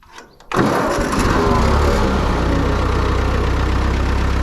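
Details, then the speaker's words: Ford 9N tractor cold start in neutral with the clutch in and the throttle partly up; a short crank, then it catches immediately and settles into a steady, even low chug, a clean healthy start. "Nice, starts right up."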